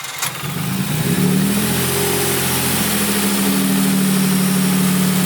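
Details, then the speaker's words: Nissan 300ZX Z32 V6 petrol, after a power balance test showed a fuel misfire and a new injector was installed: the engine cranks, catches and settles into a steady, even idle with no stumble, much better than before. "okay guys so I just put the new injector in I already fired it up just to make sure everything good is good and you can hear a big idle difference"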